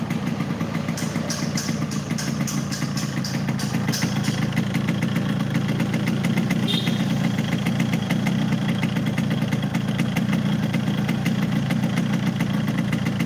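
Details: Yamaha RX King two-stroke, not test-ridden to avoid overheating; idles with a dull, muffled note and light clatter, lacking crispness, audibly down on power; bike also reported hard to shift gears; cause not yet found.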